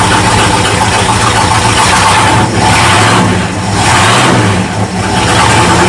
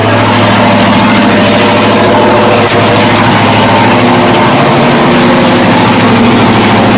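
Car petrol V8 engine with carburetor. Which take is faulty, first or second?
first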